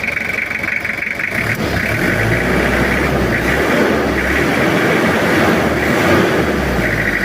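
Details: Kijang 2L diesel after an engine rebuild for oil burning and final retiming and adjustment: steady, even idle clatter with no knocks, misses or hunting. The engine sounds normal and back to standard.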